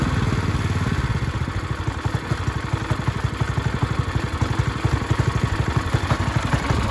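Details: Ryobi 3100 PSI pressure washer, 212cc single-cylinder with idle-down removed and throttle set manually, after clogged carb repair and with no pump fitted: even, fast thumping that holds speed without surging or missing; normal running.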